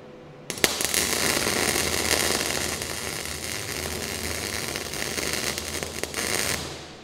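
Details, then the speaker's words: MIG plug weld on an HQ Holden cowl panel with the shielding gas not turned on: harsh irregular crackling and popping with no steady frying hiss, giving a poor weld. "And just like that, if you're an idiot and you don't turn the gas on, you'll end up with a shit weld."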